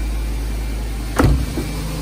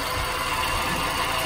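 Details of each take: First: Nissan Grand Livina after replacing the damaged AC pulley set (bearing was making rough grinding noise from belt drive): engine starts with a brief knock, then smooth steady normal idle, noise gone. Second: Nissan Grand Livina, engine idling: harsh steady grinding rasp heard from outside the engine, at the fan-belt pulleys; worn AC compressor pulley bearing, fixed by replacing the AC pulley set.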